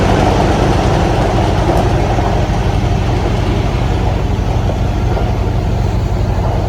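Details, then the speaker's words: 1994 Ford Ranger being revived on fresh gas: a low, uneven idle stumbling about four times a second as it misses; owner assumes new plugs and wires or a longer run may fix it, cause unconfirmed. "so far it runs and drives uh it runs a little rough it's missing again"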